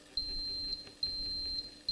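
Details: AIM USB altimeter in high-power rocket avionics bay, power-on self-test with nothing attached to channel A: three long high-pitched beeps about half a second each with short gaps; no continuity on channel A.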